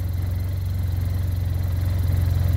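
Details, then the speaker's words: Arctic Cat Norseman snowmobile after adding foam and fixing loose plastic panels: deep steady idle drone with fast even pulse, still some vibration but no panel rattle; normal idle. "a little bit still vibrating but it's not rattling"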